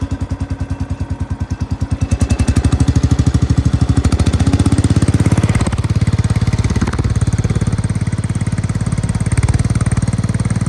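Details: Cub Cadet 105 lawn tractor after a fresh oil change, shortly after a cold start: low, even putter settling from a half-speed rev to steady idle about two and a half beats a second, no misses or knocks; normal.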